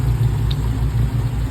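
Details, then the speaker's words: 2012 Chrysler 300C 5.7 Hemi, cammed with long-tube headers and ported heads: a steady, choppy idle with a faint fast tick over the exhaust drone, getting louder on both sides; owner unsure whether Hemi tick or exhaust leak. "try to get that Hemi tape to quiet down a little bit cuz I ain't going to lie that [ __ ] is loud I can hear inside inside my car"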